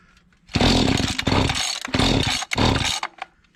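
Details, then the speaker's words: Mantis tiller small two-stroke, estate sale, choke taken off: fires in ragged bursts, surging and dropping out, won't hold steady run; rough running, owner suspects dirty or unadjusted carburetor. "I took the choke off, didn't like that. Dirty or unadjusted carburetor, seems like to me."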